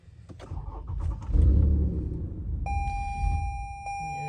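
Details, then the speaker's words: Lexus RX350 cranks and catches briefly then dies under a warning chime; customer says it started after a front-end accident, and once warm it stays running but misfires. Fault traced to the mass air flow sensor housing. "गाड़ी स्टार्ट होते साथ ही बंद हो जाती है, ये आप देख सकते हैं। गाड़ी स्टार्ट होते साथ ही बंद हो जाती है।"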